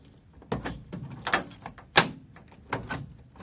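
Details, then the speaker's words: Ford Transit van with newly fitted keyless entry remote central locking, tested on the key: a handful of quick, crisp clunks as every lock snaps over together; central locking works properly. "Now, last one is to try it on the key. Now again, the key should actuate the central locking."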